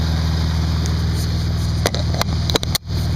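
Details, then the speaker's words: 2002 Audi S4 B5 2.7 biturbo, Tiptronic, AC not blowing cold since subframe drop for downpipe install, checked with manifold gauges: steady low idle, sharp clicks, then idle sags as the compressor clutch engages, suggesting the compressor is engaging. "you can hear the engine kick down so it sounds like the compressor is actually engaging"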